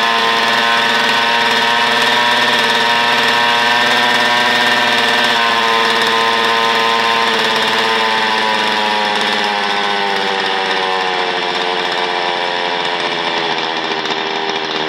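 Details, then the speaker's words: Old Zenoah chainsaw, previously hard to start after sitting unused, started with choke then opened: runs smooth and steady with an even high buzz, small pitch drifts. Normal running after fix. "Start na ang chinsaw mga ka-viewers, pwede itang open na lang sa choke, choke open."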